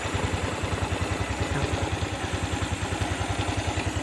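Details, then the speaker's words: Honda Wave 110i with a slipping clutch, cold idle before repair, with a steady fast clatter over a low thump. Loose, worn engine internals; the owner says it gets much louder when hot. "แต่ว่าเสียงเครื่องนี่โตโต้เปล่าเริ่มดังแล้วนะครับอันนี้เครื่องเย็นมันอย่าเงียบนะของเครื่องร้อนๆนี่จะดังกล่าวเลย"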